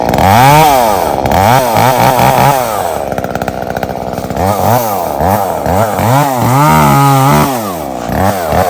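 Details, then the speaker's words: Echo CS-3450 chainsaw after carburetor and primer bulb replacement and tuning, cutting a downed tree with a dull chain; crisp two-stroke revving that bogs slightly in the cut and recovers cleanly, running healthily under load. "Well, guys, that's a success."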